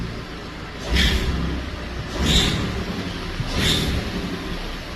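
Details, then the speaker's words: Ford EcoBoost exhaust manifold leak from a broken manifold bolt: sharp hissy chirps about every 1.5 seconds over low engine rumble, exhaust escaping at the manifold, soot found; fix requires cab removal to reach bolts. "that's the sound of exhaust leaving the exhaust manifold when the bolt is broken and that bolt down there is broken"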